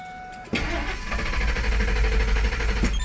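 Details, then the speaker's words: 2003 Ford F-150 with an NC&S anti-theft system installed, beeping with the theft light blinking: a steady crank of about three turns a second that never fires until the code is entered. Crank no-start from the armed immobilizer. "Car won't start and also the theft light is blinking."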